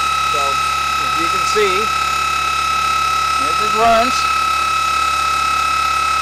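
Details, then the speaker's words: Old military starter/generator shunt motor wired as a series motor on a Curtis clone controller (field rewired, controller now cool, motor warm), new bearings, spinning at no load: steady high whine over an even hum with a faint irregular rattle; owner suspects something loose, not found. "so here we go we're going to bump this up you can hear the little rattle sure what that is yet but we'll we'll figure it out something's loose"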